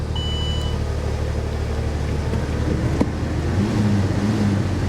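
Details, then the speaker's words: Salvage auction Corvette convertible, jump-started, idling: lumpy, irregular beat with stumbles every few pulses; bad misfire at idle. "yeah she's misfiring pretty bad guys"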